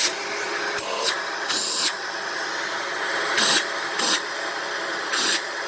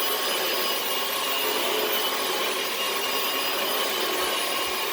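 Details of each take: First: Dyson DC18 Slim All Floors upright vacuum (made December 2006): steady roar with thin constant high-pitched whistle and rushing air; owner suspects cyclone shroud holes plugged with cat litter, not the motor, and plans to clean the cyclone assembly. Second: 2006 Dyson DC18 Slim All Floors after pressing the reset button to get the brush bar spinning again: steady high-pitched motor rush with even airflow hiss and no surging or grinding; running normally.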